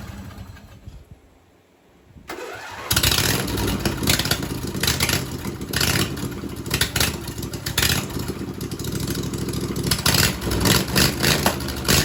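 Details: John Deere 22 hp V-twin mud mower after the carburetor fuel solenoid was wired to the key switch, with no fuel poured in: brief crank, quick catch, then a steady, even run with some revving. Starts and runs properly.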